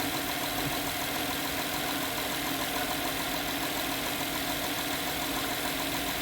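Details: 2011 Honda Pilot at idle, customer complaint of strange engine noise and stinky smell: light uneven tapping about a hundred-odd per minute; engine knocking, engine looks normal, source hard to find.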